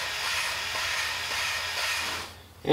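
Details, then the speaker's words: Cylinder head valve lapping with lapping compound, valve spun by drill via hose: even gritty hiss of compound grinding valve against seat; normal healthy lapping sound. "you can actually hear the compound grinding against the head and that's basically the sound we want to hear"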